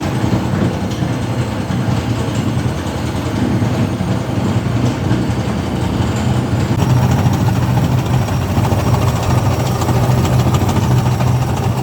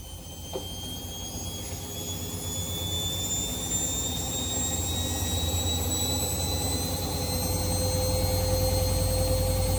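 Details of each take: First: Washing machine drum spinning with loud, heavy rumbling and rattling and strong vibration, an abnormal noise whose cause was found on opening and inspecting the machine and then repaired. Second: Washing machine after repair of a loud, unusual noise while the drum turned: smooth whir climbing steadily in pitch as the drum spins up, with no knocking or banging; normal spin cycle.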